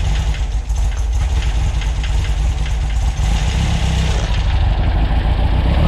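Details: New 2332cc VW air-cooled stroker flat-four (SCAT 84mm crank, Mahle 94mm pistons, Engle FK42 cam, dual Weber IDF 44s) in a 1966 split bus, running after carb adjustments during break-in: steady, even, throaty exhaust beat with no misses.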